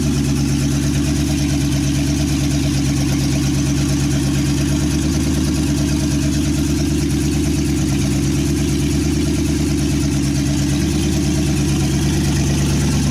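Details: 1963 Chevy C10 with 355ci small-block V8 (350 bored .030 over), Turbo 350, reportedly low miles, second start after years sitting: loud, lumpy idle through open headers, steady pulse, no knocks or misses; temp gauge not working, normal idle.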